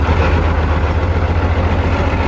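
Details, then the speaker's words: British Leyland diesel in a Chieftain Mk10 tank, started after a jump start with oil pressure confirmed and left to warm up slowly, probably not driven in about 15 years: deep, steady idle with an even low thrum, no knocks or misses. "Well, let's let it warm up real slow. Now, with the British Leyland engine running beautifully, it was time to put the quill shafts back in that will connect the gearbox to the final drives, so we can see if it will drive for the first time in probably 15 years."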